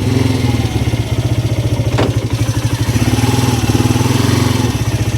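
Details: Polaris Sportsman 300 ATV single-cylinder, fully reassembled after carburetor replacement with a new aftermarket carb: steady even idle thump, no misses or stumbles, running cleanly before a test ride.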